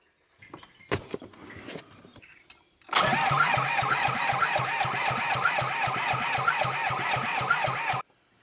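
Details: Small Komatsu dozer diesel, just after the head was refitted with the fuel pump confirmed working: steady cranking at about four compressions a second for about five seconds, never catching; it cranks but won't fire.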